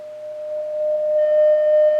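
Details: Vintage Oahu 230K 6V6 tube guitar amp after power supply rebuild and coupling cap replacement; steady test tone turns harsh and buzzy as volume rises, blown field-coil internal speaker; substitute speaker plays clean.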